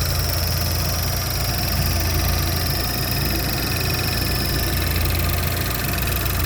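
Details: 2012 Buick Regal GS engine idling: light, fast, even clicking over a low steady hum; source of the click unknown.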